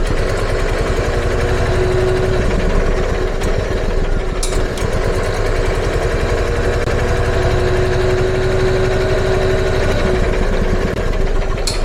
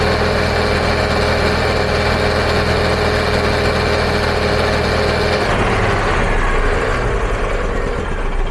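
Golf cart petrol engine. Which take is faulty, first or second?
first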